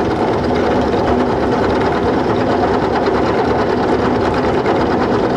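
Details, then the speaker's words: Small mini-mill cutting iron T-nuts with a cobalt cutter, running wet with oil. A dense, even cutting hiss with a steady motor whir and no chatter or squeal; the climb cut sounds smoother. A smooth milling cut. "coming over and it sounds smoother but that's climbing"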